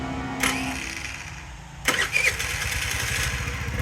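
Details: Chinese scooter from a scrap yard, with a low gel-cell battery: a brief crank, then the little engine catches and settles into a quick, even putter. It had no spark before, and now it starts and runs fine.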